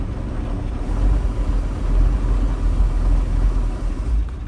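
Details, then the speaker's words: Bayliner Capri boat, 5.0L V8 Mercruiser with electronic ignition, out of the water: deep rumble sags and stumbles as shifted into gear, big flat spot and stalling, traced to a dirty carburettor; carburetor cleaning fixed it. "yeah so pretty much as soon as i put it into gear i've got the neutral thing on now because it's out of the water but it just hits it hits a dead spot"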